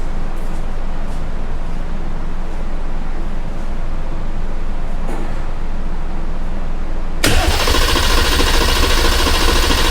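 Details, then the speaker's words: Dodge Viper ACR swapped to Hurricane turbo inline-six with 8-speed, direct injection, no exhaust fitted, started via paper clips; cranks then catches into a loud steady idle with no knocks, clean first start, oil pressure still being checked. "It runs, but I want to double check, make sure we got oil pressure and all that good stuff."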